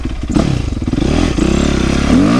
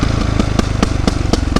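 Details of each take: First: 2008 Yamaha YZ450F after oil, chain, coolant, exhaust clamp, carburetor clean, accelerator pump rebuild and valve clearance fix: single revs up and settles to even idle, no popping or backfire, throttle response much better; normal running. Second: 2008 Yamaha YZ450F: sharp pops about four a second over lumpy off-throttle rumble, also when revving; exhaust popping on deceleration, with exhaust connection leak suspected and valve clearances found way off; fixed with proper exhaust clamp, carb clean, valve adjustment.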